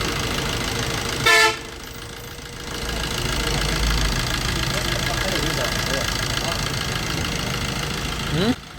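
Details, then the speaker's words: Maruti Suzuki Swift/Dzire diesel, cold, after a complete timing chain kit replacement and oil fill: even, steady idle with the earlier timing chain rattle gone; faint injector needle tick remains while cold, expected to fade when warm. "अभी आप देख सकते हैं पहले जो timing चैन का जो आवाज था वह चला गया है"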